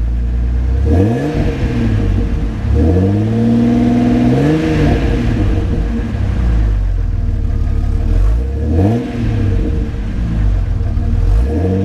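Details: 2000 Jeep Cherokee XJ Classic: engine catches cleanly, then several smooth throttle blips rise and fall evenly with no knocks or misses; a healthy motor.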